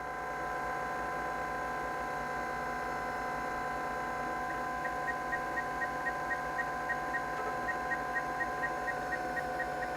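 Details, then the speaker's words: Zenith Eazy PC, a 1987 XT clone about 37 years old: steady spindle hum with faint seek ticking about twice a second. The hard drive works, booting after the floppy attempt. "oh we got a new noise the hard drive is thinking about"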